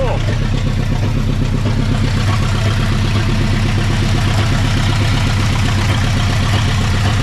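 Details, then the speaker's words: 1960 Pontiac Ventura 389 two-barrel V8, automatic, parked 24 years, first revival run: uneven stumbling lope with beat dropping out, missing a cylinder, later improved with slight remaining roughness; misfire. "that's better yeah we were missing a cylinder still got a little bit bit of a bbal but not bad"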